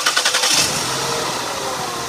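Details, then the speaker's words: 2002 Ford Escape 3.0 Duratec V6 starts and idles rough, with uneven pulses: one cylinder misfiring with no spark, traced by unplugging coils one at a time and swapping coil packs, a failed ignition coil. "I just started this up and it was running a little rough so uh yeah this coil pack or this cylinder here is not getting spark"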